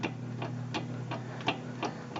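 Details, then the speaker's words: 1995 Wolverine rear axle with new axle fitted, rocked back and forth by hand: sharp metallic clicks from free play in the rear gears; wheel bearings also rough with excess play. Rear gear backlash. "now put the new axle in and it's catching leaking here forward backward you can hear it slap a little bit"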